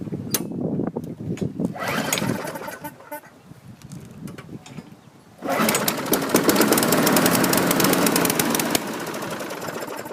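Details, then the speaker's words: 2012 Murray 500-series 158cc push mower, fresh fuel in a dry tank, primer bulb working: after a few pulls it fires with good compression, runs loud then sags and dies; likely needs carb clean and new diaphragm. "that'll need a carb clean probably a new diaphragm did fire off good compression"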